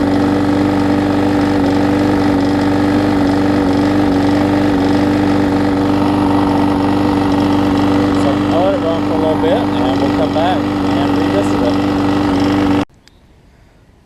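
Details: Husqvarna mower with aluminum deck and a transplanted single-cylinder engine, started with starter fluid on the old gummed-up carb before replacement. It runs steadily with an even drone and firm tone, holding a stable idle without stumbling.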